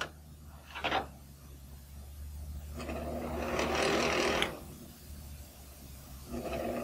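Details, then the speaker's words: Small electric fan motor: steady low hum with repeated dry rasping scrapes as it runs; dry motor bearings needing lubrication. "both of these problems are caused by the motor just needing lubrication"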